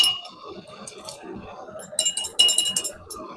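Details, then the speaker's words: Metal fabrication for seat mounts on a 5-ton crew cab build: hammer blows ring high and clangy as the piece chatters and bounces on the anvil, not lying flat. The fix is to heat it and hammer until it gives a ping. "I mean, she's not down there flat, so you gotta heat her up, give her a little McLovin without burning her biscuits."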